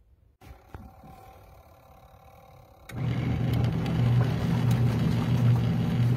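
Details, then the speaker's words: Cosway compact washer combo in a camper: quiet start, then steady, even low hum; normal wash cycle. "quiet and it totally is working the lady on the video i watched said it works really really good"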